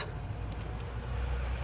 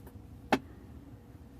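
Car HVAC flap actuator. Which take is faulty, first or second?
second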